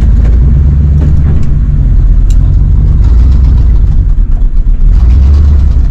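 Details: Plow truck in a snowstorm, still running rough after a vacuum hose was replaced: a deep, uneven idle with stumbles and dips. Owner suspects fuel starvation and plans to test the in-tank electric fuel pump.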